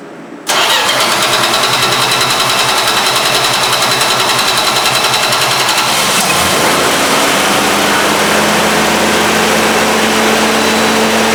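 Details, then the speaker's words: 1973 Plymouth Duster with 225 Slant 6, after fitting a 350 cfm two-barrel carburetor and resealing the manifolds with RTV: the engine catches at once and holds a fast, steady idle with no exhaust ticking or puffing. No exhaust leak, idle too fast. "That is a lot better. No exhaust leaks. It's idling way too fast, but I'll handle that."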